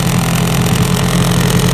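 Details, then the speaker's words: Hidea 9.9 FHS outboard on an Alkor 340 boat, first start after winter: even, steady low burble with no misses, knocks or rattles, cooling water flowing; idling smoothly and healthy. "Ну что, ребята, он завелся, китайчик мой. Вот он, красавчик, работает."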